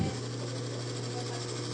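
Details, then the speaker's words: Electric fan that still spins fast but is noisy, run on speeds one to three: loud steady hum with a buzzy rattle from worn front and rear motor shaft bushings; left like this, the motor overheats and may damage it or its thermal fuse. "Marami sa atin na ganito yung issue ng electric fan nila. Umiikot naman pero maingay."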